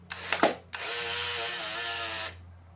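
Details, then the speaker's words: Polaroid SX-70 Model 1 camera: a thin, labouring motor whir runs about a second and a half and stops before completing the eject cycle; the motor is weak, as these motors tend to oxidise. "see it didn't even finish the cycle that's how bad it is"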